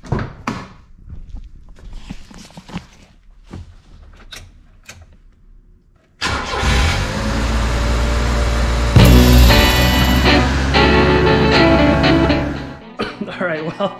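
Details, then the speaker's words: Mitsubishi Minicab U42T that sat two months with no spark, after the distributor was found installed 180° out and flipped back. The engine catches and settles into a steady, slightly uneven run, a little smoky; spark plug problems are still expected later. "it's running albeit a little bit smoky um i still gonna have the problems with the spark plugs eventually but right now it's running"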